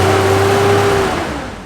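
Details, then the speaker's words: Mazda Cosmo rotary, a rare JDM car, after reconnecting a fuel line found off the fuel pump: steady low drone with faint tone, revs easing smoothly to idle; sounds like a normal car, little smoke. "Look, it's not even that smoky right now. It sounds like a car. It doesn't sound like a rotary, which is hilarious."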